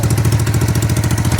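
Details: 1988 Honda Bros 400 V-twin, about 35 years old, in for rewiring and starting easily: even loping thump of about eleven pulses a second with no knocks or stumbles; smooth normal idle, though what seems a rich fuel smell is noted.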